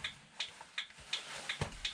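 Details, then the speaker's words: 1965 Ford Econoline Bell telephone van, off the road since 2011, being revived. Crisp, even flasher relay ticks at about three per second: the turn signal working normally. "I got sounds they're not necessarily good ones ah it's a turn signal"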